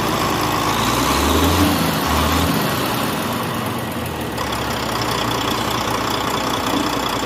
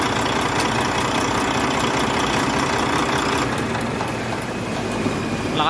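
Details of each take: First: Volvo truck diesel, likely D13, after valve clearance and injector adjustment for a ticking noise: steady, even idle with a uniform beat and no irregular valve-train ticking; sounds healthy. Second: Volvo truck diesel, likely D13, engine ticking noise; light sharp ticks about three per second over steady idle; valve clearance and injectors due for adjustment.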